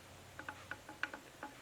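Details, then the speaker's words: Chelsea 352 PTO for a Cummins 4BT welder Jeep, bearing preload shimmed with gaskets, cover off and gear rocked by hand: light irregular ticks of gear backlash, checked so it isn't installed too tight; normal backlash. "you can hear the backlash in there we want to make sure we don't install this thing too tight"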